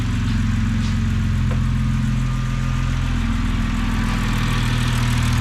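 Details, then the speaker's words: 2006 BMW 325xi, N52 engine, automatic, AWD, just started after a fuel injector replacement, cam timing faults still unresolved: loud open-exhaust idle with an even firing beat and no stumble. Normal idle. "all right so the fuel injector is back in it now we just had to start it up and see if it runs any better all right running nice and smooth now not bad"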